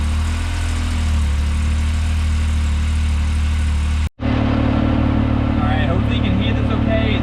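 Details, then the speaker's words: 2019 Yamaha YXZ1000R SS side-by-side, 5-speed paddle-shift gearbox, warming up at idle before a neighborhood drive: low steady even idle with no ticking or knocking, brief dropout then talking over it; normal warm-up idle. "So what I'm gonna do, I'm gonna start it up and let it warm up for just a little bit, and then we'll just take it around the neighborhood so you can hear and see what's going on with the gearbox in this, because it's incredible."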